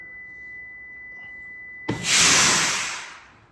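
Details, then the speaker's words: Prevost bus: steady high-pitched alarm for about two seconds then an air hiss, sounding whenever the brake is pressed or the parking brake released; owner suspects a diode back-feeding, cause unconfirmed; brake warning alarm. "brake okay that warning sound the alarm is very annoying it's coming from this we looked at the diagram on it it anytime you step on the brake it goes off or if you have the parking brake released it goes off"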